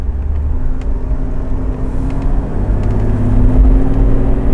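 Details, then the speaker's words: 1997 Toyota Land Cruiser 80 VXR diesel, normal road test: deep rumble building evenly as throttle opens, rpm 2,000 to 3,000, no smoke, pump at factory spec; healthy acceleration. "Wow, putaran mesin (RPM) berubah pada 2.000 hingga 3.000 RPM. Saat kita menekan pedal gas sedikit lebih dalam."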